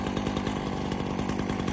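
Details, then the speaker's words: Ryobi RY3716 small two-stroke chainsaw with original air filter and spark plug running a smooth steady buzz, even firing, no rattles or surging; runs really good and fairly quiet. "I'll start it up and let you listen to it. Runs really good. It is quiet."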